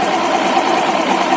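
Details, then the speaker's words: Honda Vario 150 FI scooter after the noisy CVT was opened and its stiffened, dirty drive belt washed with water: steady, even drive whir with no rasp or chatter; CVT now runs smooth. "Awalnya terdengar kasar , tapi sekarang sudah halus. Sekarang sudah lancar."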